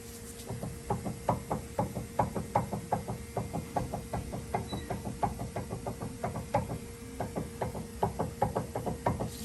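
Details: Dodge Dakota suspension: rapid, regular hollow clunks from loose sway bar (stabilizer) links, over background music.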